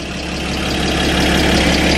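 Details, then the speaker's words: Salvage Porsche 981 Boxster with unknown damage, idling just after first start with replaced oil pan; tinny valvetrain noise heard, owner hopes it's just oil reaching the top; camshaft timing over-advance codes bank 1 and 2 followed. "it seems to be idling though this is good but it sounded a little I heard quite a bit of valve train noise under there I hope it was just getting oil to the"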